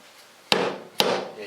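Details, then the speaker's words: Honda Prelude transmission rebuild, bearing race hammered into case plate: two sharp blows with short dull ring, no hollow note; race fully seated, slightly proud but all the way down. "you can hear the difference of sound when it's strike in the back of the plate it won't sound nearly as Hollow so this race doesn't sit perfectly flush to just a little bit of a proudness to it but it's it's down there all the way you can hear the difference"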